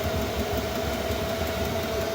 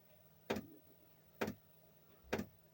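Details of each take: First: Chinese diesel heater back running after losing heat and throwing E10 start-failure error, suspected contaminant in fuel (water drained); fuel in burn pipe finally burning: steady, even burner roar with constant mid-pitched hum, no surging or popping; burning cleanly. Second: Chinese diesel air heater temporarily refitted after losing heat and throwing E10: glow plug lit, dosing pump ticking steadily about once a second over faint fan hum, yet cold air and no heat; suspected contaminated fuel.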